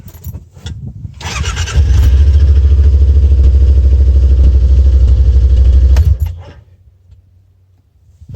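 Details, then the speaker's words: Yamaha Wolverine X4 side-by-side at 10,000 miles, original battery, fuel pump and starter: brief crank, catches at once and settles into an even, steady thrum before switching off; starts first time regardless of hot or cold weather. "engine starts up the first time every time doesn't matter how cold or hot it is outside"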